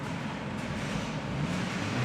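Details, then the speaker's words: 2016 Hyundai Accent after tightening the belt via the alternator tensioner: engine under AC full blast, high beams and harsh acceleration, only low rumble and no belt squeal; fixed. "There appears to be no belt squeal. So that was the issue."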